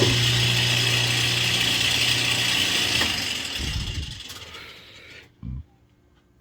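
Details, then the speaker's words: Kenmore 80 Series washer on spin after a shortest-fill, smallest-load fill: loud harsh grinding hum with a fast rattle about four per second; motor turns but the drum won't spin and it still pumps out, then winds down; broken motor coupler. "You're going to notice it's not going to spin, and it's going to make a horrible sound."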